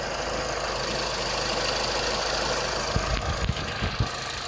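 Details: 2010 Vauxhall Meriva 1.4 petrol after fixing injector wiring fault causing misfire: steady even idle with engine cover off, some top-end rattle, no stumble; misfire gone.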